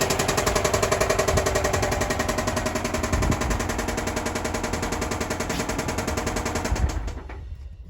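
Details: 2005 Subaru Outback XT on a short drive: heavy, rapid knocking at nearly four per second, steady throughout and fading as the engine winds down; rod knock.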